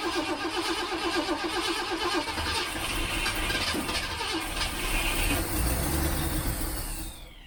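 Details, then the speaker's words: 1967 Ford Mustang carbureted engine, sat for months, on jump box, ~85°F Arizona: starter cranks steadily but engine won't fire; fuel pump working but float bowl likely empty. "I doubt there's any fuel in the float bowl, but let's see what happens."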